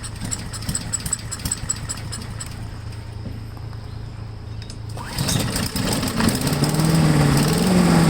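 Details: MTD push blower, 5 hp Honda engine, stored over two years, started on full choke with slight throttle after priming, air filter off: after a quiet stretch it catches and builds to a steady running roar, starting and running fine.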